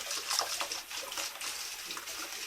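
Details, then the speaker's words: Old Grohe Grohmix thermostatic mixer tap after cleaning the cartridge, water at 38°C then 60°C: smooth, even rush of water with no whistle; the whistling is gone. "donc voilà les sifflements ont complètement disparu avec un simple un simpleage de la cartouche"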